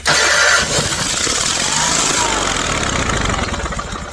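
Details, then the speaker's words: 50-year-old garden tractor, not run since being taken apart 18 years ago, rewired, first start on starting fluid with a little choke, starter engaging oddly: a harsh burst, then an uneven stumbling beat; rough running. "She sounds really rough."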